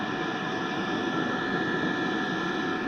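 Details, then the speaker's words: Diesel air heater with battery-backup mod, running at full tilt on mains power before power-loss test: even, steady roar with faint constant whistle, no surging or pulsing; burning normally at full output. "okay so now running at Full Tilt this went down a little but it will maintain that"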